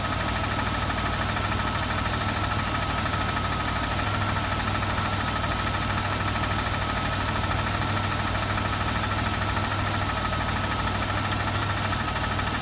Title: Riv engine knock